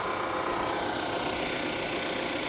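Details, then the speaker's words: Vehicle at an auction lot, hood open: fast, light, sewing-machine-like ticking over a quiet, even idle, coming from the engine itself rather than an air pump; engine otherwise seems to run fine, cause unknown. "So that's not an air pump. That's the actual engine. It's not major,"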